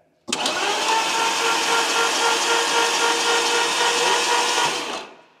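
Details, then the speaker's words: Lamborghini Gallardo, long unused and apparently flooded, cranked on the starter with spark plugs out to prime oil: smooth, even whirr for about five seconds with no firing or compression beat. Oil pressure gauge moves slightly, which is considered good. "did the oil pressure move yeah a bit a bit yeah I wouldn't say it went all the way to four no no it probably won't a crank in but as long as it's moving we got oil pressure we're good"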